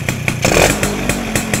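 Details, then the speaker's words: Yamaha SS two-stroke, carburetor air screw being adjusted with throttle held: sharp rasp rises on the blip then drops straight back to steady popping idle without hanging; idle slightly high, mixture sounds right. "Lepas tu kita rem segini dia cepat jatuh. Dia tak ada ngeng ngeng ngeng ngeng ngeng ngeng ngeng ngeng."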